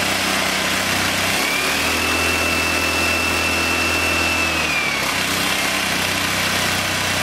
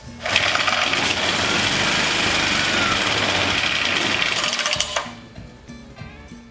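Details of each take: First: English Suffolk Super Colt vintage single-cylinder engine, clamped to a weed eater stand after manifold and ignition help, running after choke off: steady, even run, no misfire or knock, faint whistle rising briefly, exhaust fan in background; runs smooth without heavy vibration. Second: English Suffolk Super Colt small single-cylinder engine, choke being adjusted: fast, even rattle for a few seconds, then it suddenly cuts out and stalls, running longer with more choke; fuel feed suspected, not confirmed.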